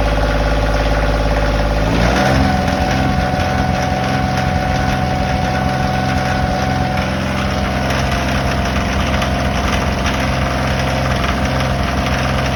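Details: Kioti tractor diesel settling from a rev to steady idle with fairly regular light knock about three per second; dealership says normal for Kioti engines, private buyer says not normal; origin unclear.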